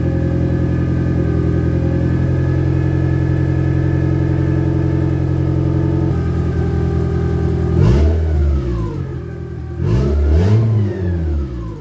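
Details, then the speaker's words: Boosted Honda Civic first start after distributor rebuild (OBD2 internals in OBD1 shell): steady idle with uneven lumpy pulse, then two sharp throttle blips; runs pretty rough but keeps going. "It's not perfect. It's pretty rough actually, but we're getting somewhere."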